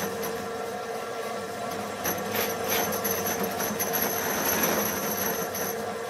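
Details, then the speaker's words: Lathe turning a 6-inch aluminium pulley after spindle play was removed by shim adjustment, spindle running warm and possibly slightly tight, well oiled, very slow speed: steady high whine with buzzing rattle swelling through the cut; vibration. "It's actually running a bit warm. Might be slightly tight, but it's got plenty of oil on it. So you'll be able to hear that vibration."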